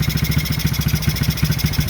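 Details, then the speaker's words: Chinese four-wheeler (ATV) with 223 miles, single cylinder idling lumpy but steady with no miss just after restart; breather removed so it runs worse, needs suction to draw fuel from bowl; no smoke, owner plans cleaning breather and draining carb bowl. "Got a little, not smooth yet, but I'll get it there. Got the breather off too, so that makes it not run quite as good as it would."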